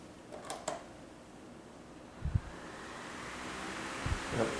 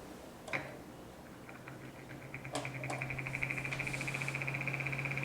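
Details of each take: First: Hampton Bay (Midea FT30-D8MBA) 12-inch oscillating fan from 2019, about two years of near-continuous use. After the loose plastic blade cap that caused a rattle is retightened, it spins up with a smooth, even rush of air and no rattle. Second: 12-inch Midea (Hampton Bay) oscillating fan, model FT30-D8MBA, dated April 2019: low motor hum with a fast, even, non-metallic plastic rattle that fades after a while, quietest on medium, worsening for a week; loose reverse-threaded blade retaining cap.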